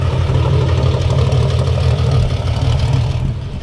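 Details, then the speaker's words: 1955 Ford Pop with re-jetted Holley carburetor, bigger jets fitted: deep steady burble about four beats a second, no misses or stumbles; sharp, clean idle. "wow that that sounds so sharp hey tone it sounds nice at idle doesn't it"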